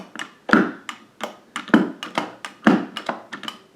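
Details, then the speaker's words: Arcade joystick rocked by hand: irregular plastic clicks and a heavier clunk about every second from inside; suspected loose snap ring and ill-fitting washer on the shaft, not engaging properly on the left. "now that all of that clunking that you hear is on the inside there it's not showing up on camera there's a snap ring"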